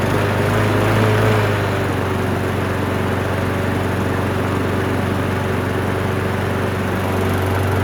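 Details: Abused Craftsman lawn mower after carburetor cleaning: the small single-cylinder engine holds a steady, fast drone with no surging or misses and now runs evenly.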